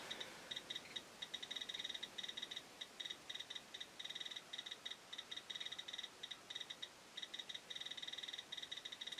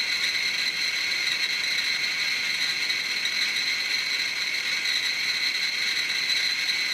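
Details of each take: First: Chinese BR-6B Geiger counter (maxes at 99.99 µSv/h) on a radioactive sample: rapid, irregular high-pitched ticks, several per second, over a quiet background; working normally on a strong source. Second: Chinese BR-6B Geiger counter placed directly on a strontium-90 beta check source: clicks merge into a continuous high-pitched rattle; counter overloaded, display pinned at its 99.99 µSv/h maximum.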